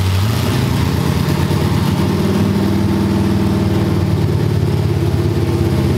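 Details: Cammed LS V8 in a G-body, after troubleshooting an injector stuck open: loud, even, choppy lope with no popping or misses; no flames, smoke or heavy gas smell, cleanest it has run; normal cammed idle.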